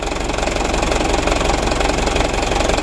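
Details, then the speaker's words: Used Mitsubishi Canter diesel truck at idle: loud harsh, fairly regular clatter about three times a second; rough mechanical noise, mechanic suspects injection pump timer or pump bearing, possibly timing gears, not confirmed. "kita mendengar suara kasar teman-teman Kalau ada suara kasar seperti ini Kita cari dulu kita dengar baik-baik dari mana sumber suaranya"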